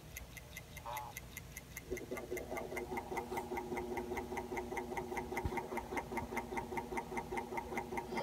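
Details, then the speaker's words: 1984 Acoustic Research turntable Hurst motor running by itself with no pulley or belt: steady hum with a crisp, even tick about 2.5 times a second. The click is intrinsic to the motor. "here's the motor just running by itself there's no pulley no belt hopefully you can hear that it's definitely not quiet tick tick tick tick tick"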